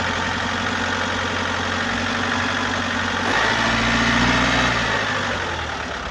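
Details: 2018 Opel Astra K, 1.6 diesel B16DTH, 81 kW, 128,814 km: steady airy hiss and rattle over diesel idle clatter, rising with revs; intake system leak with faulty swirl flaps.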